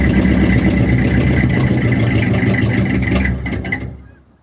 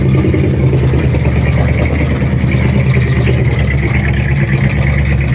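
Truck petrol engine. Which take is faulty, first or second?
first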